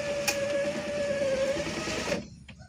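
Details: Car power window motor after repairing its jumping gear, which had made a rattling noise when raising: steady, smooth motor hum at one even pitch for about two seconds, then a clean stop as the window runs up normally.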